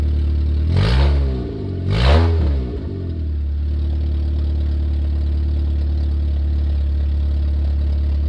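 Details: 1994 Nissan Sentra four-cylinder running with the exhaust system removed after an exhaust leak was found at the bottom heat shield; two quick blips fall into a deep, loud, raw, unmuffled burble at idle.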